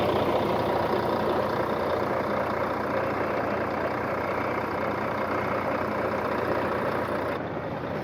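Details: 2004 Volvo truck diesel, recorded with the hood open after the truck sat 6 years in a truck graveyard: steady, even clatter settling into a smooth idle with no knocks or misses; sounds healthy.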